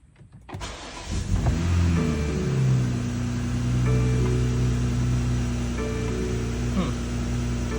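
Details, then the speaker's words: 2020 BMW X5 G05 B58 2nd-gen after replacing the fuel tank breather valve and gas cap for long starts after fill-ups and codes P0172 and P0456: cold start cranks and catches within a second, revs flare, then settle to a steady smooth idle; healthy. "All right, we got our new breather valve installed. Let's see how is the cold start with the new fuel tank breather valve."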